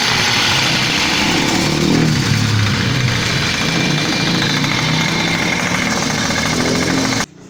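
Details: WMX motorized bicycle two-stroke engine, run after reinstalling the belt so the loose engine can no longer shift: rapid, even buzz without knocks or rattles before cutting off.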